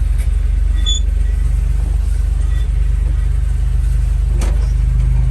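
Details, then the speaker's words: 1968 Jeep Commando, 225 V6 idling in neutral: low, smooth, even rumble with a steady beat and no misses, ticks or knocks; one of the smoothest-running 225s. "One of the smoothest running 225s that I've actually had."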